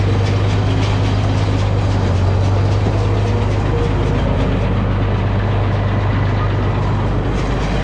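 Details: New Holland round baler on an International 1256 tractor after new bearings and chain: steady rhythmic rumble at a constant pace, free of grinding or clatter; running normally.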